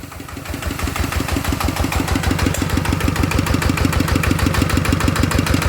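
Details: One of two single-cylinder ET diesels (ET95/ET110) refitted for water pumping after seepage and an air-leak noise: even thumping at about three beats a second, no knock or rattle; judged soft and fine.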